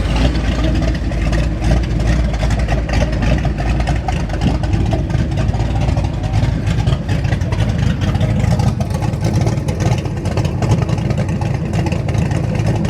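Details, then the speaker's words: 1989 Ford Mustang GT V8, first start after sitting over 10 years: deep, even idle with a smooth steady beat, no misses, knocks or hunting, oil pressure good; normal idle, voltage still to be checked. "Idle looks good. Gotta check on that voltage and we should be good."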